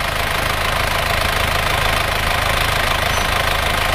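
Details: Isuzu Panther diesel after blow-by repair with original liners, pistons and new rings, warm at 80–81°C after a 40 km test drive: steady, even diesel clatter at idle, no uneven knocks or misses; engine sounds healthy.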